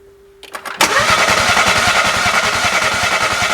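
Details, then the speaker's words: 2012 BMW 1 Series, crank no start, cranked while checking spark with a plug grounded (ignition present): the engine spins fast and even at about 3.5 beats a second, never catching. Cam timing had jumped from a broken chain guide. "now the next step I'm going to crank the engine over while you guys look for ignition"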